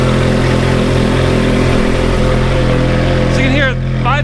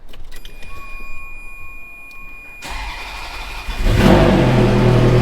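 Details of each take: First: Ferrari F430 with good exhaust headers, at idle: steady, even, deep smooth exhaust note with faint light valve ticking underneath. Normal idle. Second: Ferrari F430 V8 at startup and idle: a fast, even ticking puff, about 220 a minute, from blown gaskets on the aftermarket headers. Headers then reinstalled with new hardware and new factory gaskets. Exhaust manifold leak.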